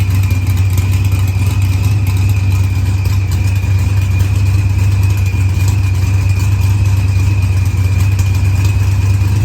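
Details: Green Challenger with a supercharged LS swap, idling after head gasket and fuel pressure sensor repairs. Idle was leaned with oddly low fuel use; timing reads 27° versus 28° target. Steady, even V8 rumble with no knocks, misses or surges; healthy.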